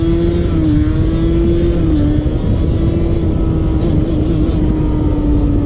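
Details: 2001 Yamaha Banshee 350 two-stroke under load on a POV ride after new clamps fixed an exhaust leak. Hard howl rises and drops through quick shifts, crisp with no puffing or ticking; normal, sealed exhaust.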